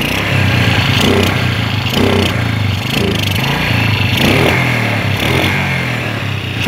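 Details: Suzuki Smash motorcycle: engine sputters and stumbles, dying when throttle is forced; carburetor checked clean, ignition not fully reaching the spark plug, sparking visible at the plug cap in the dark.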